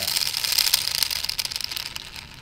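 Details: HPI Savage X 4.6 nitro RC truck that won't move forward, slipper clutch and spur gear swapped: fast thin metallic chatter with a high whine at high rpm; something in the drivetrain rattling, cause not yet found.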